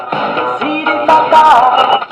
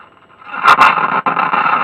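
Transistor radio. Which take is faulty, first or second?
second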